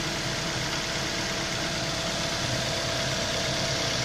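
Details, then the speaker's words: Toyota Rush with replacement contract 3SZ engine, after replacing a knocking engine and running 15–20 minutes: smooth, even, quiet idle with a steady hum and no knocks, ticks or squeaks, not diesel-like; normal idle. "вот так должен работать нормальный мотор и стуков где скрипа не как дизель вот он шуршит"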